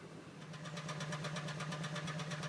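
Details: 2009 Honda Pilot, over 64,000 miles, idling rough and uneven with irregular stumbles and a lumpy beat; check engine light blinking, code P0302 cylinder 2 misfire; fouled spark plugs per TSB SB-10-063, fix is new plugs and PCM update.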